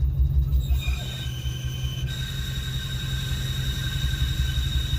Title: 03-04 Mustang svt cobra bad throwout bearing